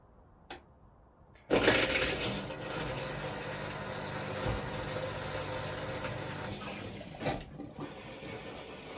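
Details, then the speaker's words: Upgraded Hotpoint Aquarius WMA48 washing machine, start of stored cycle: steady whirring hum over rushing water; pump works but owner suspects ice not yet melted in the drain pump. "Maybe the ice hasn't completely melted in the pump. Okay, well, at least you know the pump's working, but obviously it's got ice in it then."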